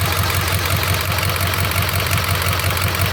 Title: 7.3 Injectors, #5 Fails Contribution Test and slight rough idle, brand new injectors.